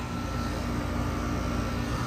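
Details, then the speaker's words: Goodman heat pump after outdoor-coil leaks were brazed, system vacuumed and recharged with 13 lb of refrigerant; runs in heat mode with a steady even hum and faint constant tone, no knocks or rattles; normal running, follow-up likely on a warmer day. "all right well she's running in heat mode everything seems to be fine so we're gonna call her good"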